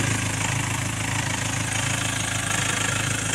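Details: 2.2 L Ford Transit common-rail diesel, before repair: idle clatter swells and sags instead of holding steady, rail pressure signal fluctuating up to about 1.8 V; faulty fuel metering valve on the high-pressure pump.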